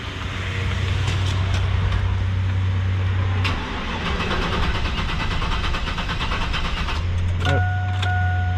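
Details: Starter churns steadily about four beats a second, pauses, cranks again, engine never catches; crank no start.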